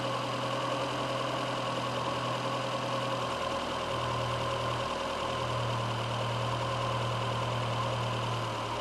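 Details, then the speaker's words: VW A1 with CIS fuel injection after wiring repair; idle drone wavering and settling unevenly as the O2 sensor comes online and the frequency valve stops buzzing, mixture far out, fluctuating idle. "once the o2 comes online you'll hear the engine I don't fluctuate see it's coming way down now the frequency valve and stop buzzing so the mixtures way out right now"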